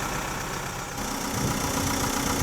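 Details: Chausson motorhome diesel engine after a flat battery and months unused since January, jump-started and left running: steady, even idle settles in after a brief change of note, no knocks or misses; normal healthy idle.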